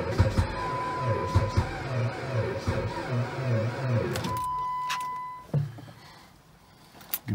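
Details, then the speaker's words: Jeep Patriot at -36°C to -40°F with a failed block heater: slow, labouring crank at a couple of beats a second that never catches. The battery is still weak despite a booster pack and charger; cold crank no-start. "well that ain't good battery still seems a little weak you see it's trying to charge like hell"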